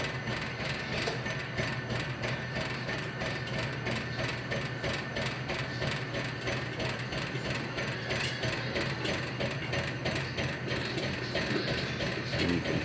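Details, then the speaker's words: Fully restored 1950s Popcorn Shop (U-Pop-It/Minit Pop) dime vending popcorn machine, hot plate raised from 350 to 400 degrees: steady mechanical clicking about three per second over low hum as corn pops; working normally. "you can hear it popping now. See the steam rising. Popcorn's popping violently now."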